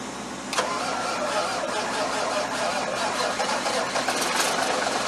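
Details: 1991 quad-axle dump truck, 855 cu in (14 L) Cummins Big Cam IV diesel, started after sitting for months with a jump start: brief crank, then lights off and holds a steady, rough-edged clatter, no stalling; normal cold start.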